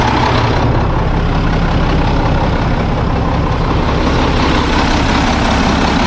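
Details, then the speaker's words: Old Mack tank truck, probably 1995, 122,000 on odometer, diesel started after sitting: deep even clatter, steady rhythm, no misses or knocks, oil pressure rising; healthy idle despite a bad exhaust leak. "Now there goes oil pressure. It sounds really good."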